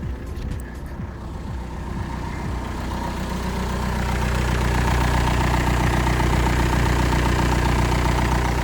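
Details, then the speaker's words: BMW engine after AC system work, starting and settling to idle: a faint steady squeak over the rumble from a dry belt tensioner pulley, which quietens right down when sprayed with lubricant. "okay well I don't know if you guys can hear me but the pulley that's creating all the noise is tensioner so the moment I spray any sort of lubricant on it it quietens right down"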